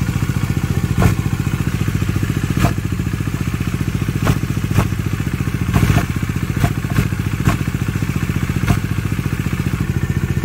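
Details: Bajaj Dominar 400 with under 1000 km: steady idle with sharp metallic knocks dropping in irregularly, a few every couple of seconds; owner testing with clutch pulled in, abnormal internal engine noise, cause still being investigated.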